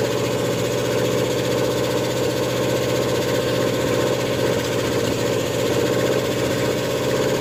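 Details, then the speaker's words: Ford F100 with an OMC 175 marine 302 V8 and Comp 268H cam during cam break-in: steady fast idle with a quick, even ticking knock over the exhaust. A bad lifter was suspected; the cause was valve lash adjusted incorrectly. "At this point in time, what's happened with the truck, I'm sure you can hear it knocking. We had a lot of concerns It turned out we had just adjusted the valves wrong."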